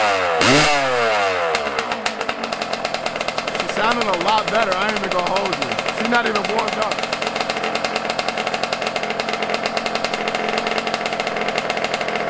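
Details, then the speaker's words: Yamaha YZ125 two-stroke, not yet warmed up at about 20 degrees outside, during carb air screw and idle adjustment: ragged running that blips up and sags back unevenly, won't hold a clean idle; owner blames carburetor, acting weird after he touched it. "i knew it was something with this carburetor though cause i touched it like i touched the car right i touched the carburetor and she was acting weird af"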